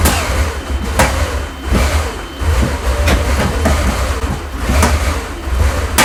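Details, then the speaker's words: Porsche 928 V8 after an engine rebuild, restarted after capping the distributor vacuum hoses. The idle lumps and sags with stray pops about once a second and will not stay running alone; owner suspects the removed vacuum lines. Rough idle. "I'm not happy there and it's really struggling now isn't it"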